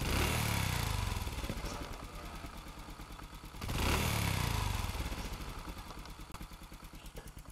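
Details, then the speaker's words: Original Honda Future Neo engine run for over ten years, test-run after servicing, mounted on a frame with no electric starter: blipped twice then idling evenly with only light valve tapping and no clutch or knock noise; a healthy engine. "Em nghe tiếng máy nghe máy zin nghe anh em nó Rin tím nồi chả rõ ràng ngon lành"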